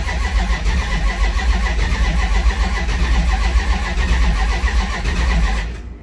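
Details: Big block Duster, first start attempt after fitting headers and running new fuel lines, 100-degree day: deep steady cranking churn for about five seconds with no firing; turning over dry while fuel pressure builds.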